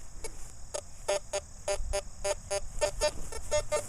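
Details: CF77 metal detector with 9-inch coil in mode one, iron audio on: short, repeated mid-pitched blips about three a second over soft ground noise as the coil passes a piece of iron.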